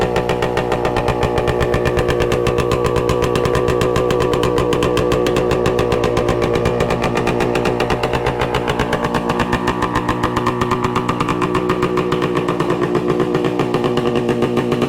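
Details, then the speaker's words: 1966 Suzuki Bearcat 120cc two-stroke, revived after sitting dormant: steady, crisp putter at about four pops a second, even and settled once warmed up; idles cleanly, run to heat it and find a suspected leak. "It's settled down a bit now that it's warmed up a little bit. Sounds good."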